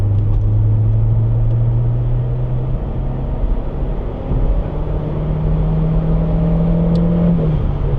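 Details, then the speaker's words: Citroën XM 2.0 turbo (TCT), 150 hp, accelerating in 3rd gear at around 3000 rpm: a smooth, steady climb with no misses or hesitation. The turbo boosts early and stops boosting after a while; runs well. "Ça marche bien. C'est très raisonnable pour 150 chevaux, je trouve."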